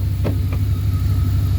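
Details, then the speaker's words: Abandoned Dodge Dakota R/T 5.9 V8 truck idling, slight oil leak at valve cover onto manifold (or old PB Blaster) smoking; smooth, even low rumble, no knocks or ticks; normal idle. "aking a little bit of oil right here on the valve cover on the manifold or could have been PB Blaster or something from previous times he was working on it but this thing sounds good"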